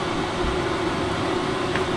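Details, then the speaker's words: Lavaner Pro 5kW Chinese diesel heater in a campervan, first light after about 25 minutes of cycling to prime fuel: a smooth, steady fan roar with a constant tone and no popping or surging; normal running after ignition. "I hear the dull sounds of fire, maybe, starting. Familiar smell. Diesel-y heating."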